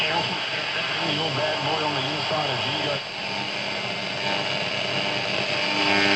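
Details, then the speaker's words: Old valve (tube) radio, late-1950s to 1970s design, playing a station: harsh, distorted, smeared audio with a steady hiss. Suspected paper capacitors, misalignment and a possibly weak EL84 valve, not yet confirmed. "it also sounds like it needs a really good alignment um one of the valves could be very weak though"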